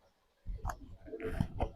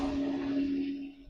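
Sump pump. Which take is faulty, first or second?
first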